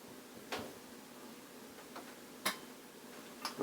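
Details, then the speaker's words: 1973 Luxman L-507 amplifier, 50 W per channel, normally crackles and pops on the left channel at cold start: at power-on, quiet hiss then a few crisp clicks with no crackle as the protection relay pulls in; normal relay click. "turn the power on relay kicked in I hear absolutely no noise"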